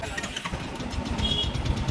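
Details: Royal Enfield Bullet 350 after self-starter noise repair; starter spins up and single-cylinder settles into steady thump with no grinding or clatter from starter drive; problem solved.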